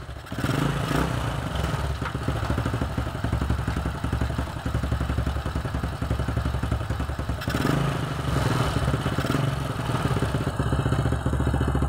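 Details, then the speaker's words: Old Honda Supra X after replacing the weak spool (stator coil): starts on the original old plug that previously failed with the old spool, and settles to a steady, even idle with no misses; battery is being charged after dropping. "Oke teman-teman, dengan menggunakan busi lama aja udah bisa hidup ya, dimana yang awalnya tadi dengan menggunakan spool lama busi ini tidak bisa menghidupkan motor ya."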